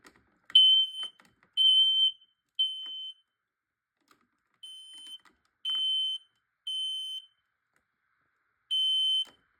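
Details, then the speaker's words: Gas/carbon monoxide detector tripped early, before the smoke test spray was applied, reason unclear: high chirping alarm in bursts of about a second, roughly once a second. Its owner notes that smoke spray also sets this gas detector off. "That was so funny how it activated quick when I was about to spray it. And I think I also know one loophole for this carbon monoxide detector. I was just messing well with it until when I spray it, the gas detector actually went off."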